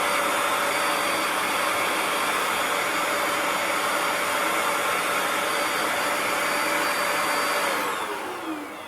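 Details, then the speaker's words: Bissell ProHeat 2X Revolution Pet Pro carpet cleaner vacuuming up crumbs: steady even suction roar with smooth motor whine, then clean spin-down at switch-off; suction running normally. "Okay, now we're all set with vacuuming off the crumbs."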